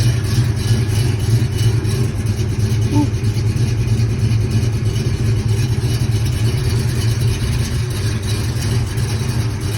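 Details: 1970 Pontiac V8 with flat-tappet lifters and iron heads, cruising on the road: steady V8 drone with light, quick ticking on top, normal flat-tappet lifter clatter, nothing wrong.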